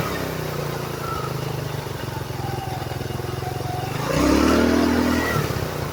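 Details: GY6 scooter after a CVT repair: an even putter at idle, then a smooth rise in revs as the belt and variator spin up cleanly with no slipping or clatter; normal CVT acceleration.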